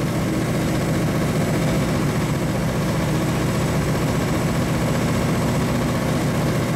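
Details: 1935 Chevy Master with newly installed 409 stroker V8, first start-up on jack stands; oil pressure and temperature reported good; deep steady even idle, no misses or knocks; sounds cammed; normal idle.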